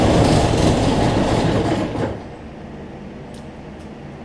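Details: Cub Cadet zero-turn mower, Briggs V-twin, after adjusting a governor that let it race out of control and fixing rich running: firm, even beat for two seconds, no racing or hunting, then winds down; no black smoke.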